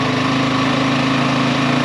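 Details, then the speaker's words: XT350 single-cylinder after a new coil and after the fuel was turned on: even, steady thump at idle with no stumbles. The engine caught its own idle and is running much better. "That's the engine, not the carburetor. It actually caught its own idle."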